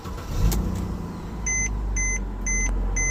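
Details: 2009 Mercedes C300 4MATIC (W204), no crank, no start, no communication fixed by replacing a corroded, water-damaged part: engine catches and settles into a low, steady idle while a high chime beeps about twice a second; normal start and idle.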